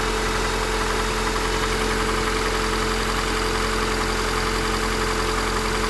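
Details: Honda Accord 8th generation, valves adjusted 15,000 ago, 5W-30 oil: a dull knock about 1.5 times a second at idle. It knocks when cold, lessens when warm, but is still heard at 2000–3000 rpm. Engine knock.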